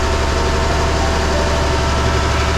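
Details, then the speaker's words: Perkins T6.354 marine diesel at operating temperature after CAV injection pump reseal ended long-standing pump leaks: steady, even drone with firm unchanging beat, no knocks or misses; normal running. "It feels so good. Both engines run the way they should."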